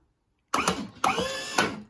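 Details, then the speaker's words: Balco B1000 motorcycle lift with new 12 V hydraulic power pack conversion: three short bursts of pump whir with clicks between as the lift steps up to its stop; healthy normal operation. "So as you can see, it's going up to stop."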